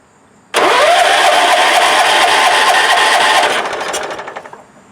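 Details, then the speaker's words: Wheel Horse 416-8 garden tractor, over 2275 hours, which would not crank: after replacing a blown fuse the starter engages sharply and spins the engine steadily for about three seconds; healthy cranking. Cause of the blown fuse unknown. "it's cranking i mean don't tell me that the only problem was a blown fuse uh because i'm gonna want to know why it was blown"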